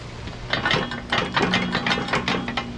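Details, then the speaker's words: Excavator bucket and boom linkage clanking in sharp metallic bursts over an idling engine; the pins and bushings are not worn, the linkage lacks gussets and rubber padding, and O-rings and shims are about to be fitted. "everybody gets tired of hearing that klein klein clinging it's not the pins and bushings are wore out on this thing it's just missing some gussetry and rubber padding to quieten this thing down"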